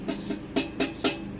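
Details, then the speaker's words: Loose weld joint on the large basket accessory for a 2018 RadRover electric bike: sharp hollow clacks, about three a second, each time the basket is shaken. Play in a slightly tapered joint, owner unsure whether it matters. "can hear it rattling can you hear that so I don't know if that's gonna be an issue but that's just something to notice"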